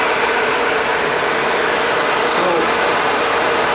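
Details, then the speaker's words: Radiator cooling fan on an ATV running normally at idle after replacing the thermo switch. A steady, even whoosh of air over a smooth idle; the fan has switched on and runs cleanly. "Now you're gonna see that fan is working. You hear the sound."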